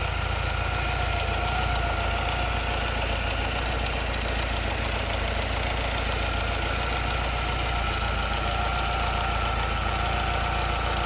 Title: Engine sound. Grinding noise alfa 75 1.8 ie indy